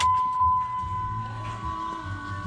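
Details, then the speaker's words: FASS lift pump on a 5.9 Cummins after fuel filter delete, key on with front filter loose: steady high hum holds level under background noise; electric lift pump running smoothly, priming the fuel system. "i'm just going to turn the key and uh it will prime itself which is a super cool thing about fast turn the key on"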